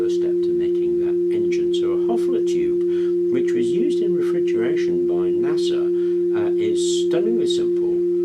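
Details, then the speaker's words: Thermoacoustic tube, the basis of a Stirling engine, humming on its own while the methylated spirits burner heats it: steady pure hum near 350 Hz with a softer tone an octave below, perfectly even; resonating properly. "non-critical, really easy to make, so it'll hum away all by itself as long as that method is burning."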